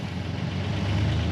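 Steady, even low diesel drone that firms up smoothly as the throttle opens, no knocks or misses; engine running healthy.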